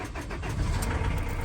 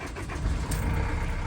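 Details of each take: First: Ford Transit Custom mk7 diesel van after starter cranking test: catches quickly and settles into even, steady low rumble, no misfire or knock; normal start, though starter is noisy and due for removal. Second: Ford Transit Custom mk7 van, starter cranking test with tester reading normal: rough, clattery whirr from starter while cranking; noisy starter, current draw seems acceptable.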